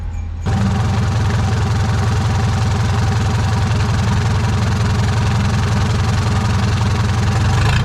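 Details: Used marine diesel with an angled gearbox, newly installed in a boat, started after fixing swapped cables: clean start, then a steady, deep, even diesel clatter at constant speed with no misses; a healthy idle.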